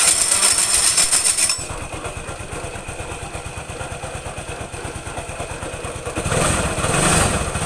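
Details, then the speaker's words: Suzuki Nex II scooter idling with CVT roller housing removed: coarse regular knock near four per second from the engine's middle, not the CVT, likely once ran out of oil; camshaft bearing failure. "suaranya itu kasar sekali di bagian mesin tetapi ini bukan CVT ini suara timbul dari mesin bagian tengah dari bagian tengah dia meliputi keras sama seker kemungkinan besar motor ini pernah kehabisan oli"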